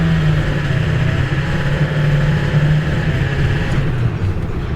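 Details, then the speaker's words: Old truck with a 7.3 turbo diesel driving down the road with an even, steady drone under road noise, no knocking or surging: normal running. "I mean it's definitely not like my my Ram 3500 but for an old 7-3 turbo diesel it gets down the road just fine"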